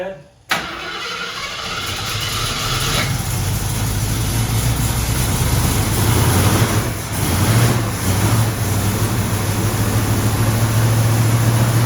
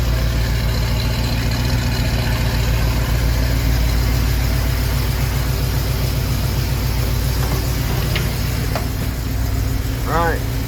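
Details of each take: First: 1974 AMC Javelin after valve cover gasket replacement: cranks, catches and settles into a fast raised idle that never drops; choke stuck on because the heat riser brass fitting was not hooked up. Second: 1974 AMC Javelin idling after oil leak cleanup, choke opening: steady, even idle with no stumble, light clicks in background; owner hears slight tick he suspects is an exhaust leak, otherwise sounds healthy.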